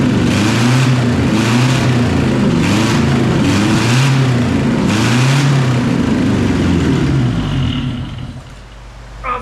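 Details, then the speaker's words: 1974 Toyota Celica GT 18R four-cylinder on a straight pipe, no radiator: loud open exhaust blipped in uneven, stumbling surges, mostly on three cylinders; owner thinks it's the intake leak. "now it was only hitting all four momentarily there a couple times otherwise it was three but I think that that's just that intake leak"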